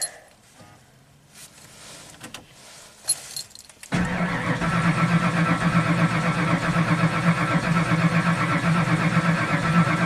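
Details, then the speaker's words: 1996 Ford F250 7.5L big-block V8, rebuilt, cold, cranking with the PCM fuse pulled so injection is disabled: about four pulses a second with one weaker beat, suggesting one cylinder a little low on compression. "I think there's one cylinder that it's a little low"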